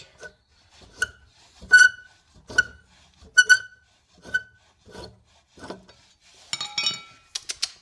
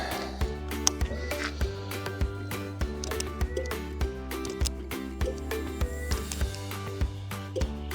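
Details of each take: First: Honda VFR 800Fi 5th-gen V4 motorcycle, crashed bike being readied for a trip: sharp dry high creaking squeaks about once a second from old, stuck, rusty front axle bolts binding. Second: Crashed Honda VFR 800Fi 5th gen, first test run after fixes: over background music, engine catches at once and settles into a strong, even run without stumbling; normal easy start.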